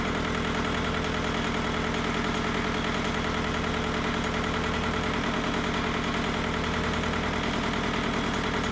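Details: Mitsubishi MT372 diesel tractor: steady even clatter at settled idle, about three firing pulses a second, no misses or knocks; healthy idle.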